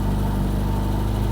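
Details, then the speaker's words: 1987 Reliant Rialto 2 barn find, started after adding water: deep, steady, even idle with no knocks, misses or rattles; healthy normal idle. "I'm just going to try it once more since it's got water in it. Oh, wait. That sounds so sweet."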